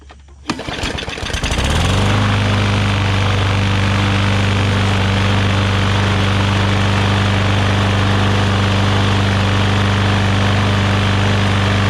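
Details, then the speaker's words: Newer Briggs & Stratton push mower that had water inside, started after priming with gas, a dirty air filter and the cover off. Catches within a second of the pull and settles into a steady, even drone. Normal start and idle. "Little dead man holder fell off, but you guys can see that fired up immediately."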